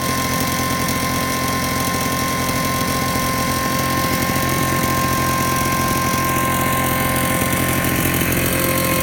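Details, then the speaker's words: Invatech Italia model 868 Mister Duster two-stroke blower, first run after priming and choked start: loud steady chainsaw-like buzz with even high whine, no misses or surging; runs cleanly. "Okay, you've probably picked up. It's about as noisy as a chainsaw, and we have a lot of chainsaws around here, so no one's complaining."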